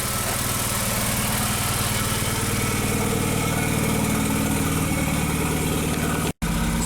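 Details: 2001 VW Jetta Wolfsburg 1.8T, bought non-running with a damaged engine harness, check engine light flashing. Codes P0300, P0302 and P0303. A lumpy, uneven idle with a stumbling low pulse, about four beats a second: rough idle from misfires on cylinders two and three.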